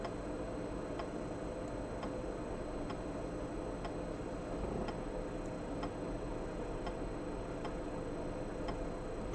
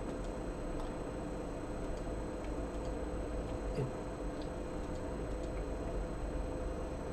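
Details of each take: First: Floppy drive on an Atari MegaST with HD-floppy modification, formatting a disk at low density: crisp light ticks about once a second over a quiet hum; head stepping normally, though high-density switching still fails. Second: Modded Atari MegaST with HD floppy mod, drive accessed with a high-density disk: sparse light head-stepping ticks over faint hum, disk never detected; low-density format works; the floppy drive itself was faulty.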